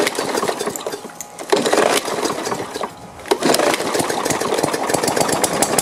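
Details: Free push lawn mower, small single-cylinder, after basic maintenance and cleaning, loose new spark plug checked and gapped: catches, wavers briefly, settles into steady fast putter; running fine after cleaning.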